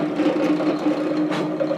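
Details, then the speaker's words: Drill press with a dull, overused bit, drilling a part for an RC hydroplane boat: a wavering mid-pitched hum breaking up over a rough, buzzy cut. The bit chatters instead of cutting smoothly. "can you hear it it's actually chattering so that it's it's not doing a nice smooth cut"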